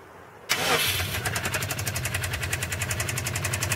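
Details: Subaru Impreza STI engine starting and idling: fast, sharp, regular tapping over the idle, roughly eight per second, from inside the engine; engine knock.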